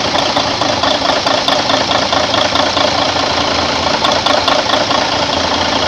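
Steady diesel idle with an even ticking clatter at roughly two beats a second, no misses or heavy knocks; engine sounds healthy.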